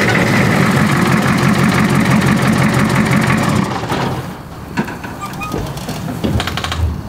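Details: Old diesel car starting after a loose glow plug wire was reconnected and the glow plugs clicked; catches and settles into an even, steady idle clatter with no misses or knocks, sounds healthy.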